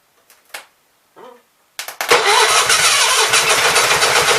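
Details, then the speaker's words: Onan B43 twin after new rings, battery charged overnight, fuel fed from a hand-held jug: a few faint starter attempts, then rapid cranking at about four beats a second that never catches. Owner suspects juggling the jug, choke and throttle is half the problem. "Really need some way to hold this fuel jug up here and work the choke and the throttle at the same time. I think it's half my problem."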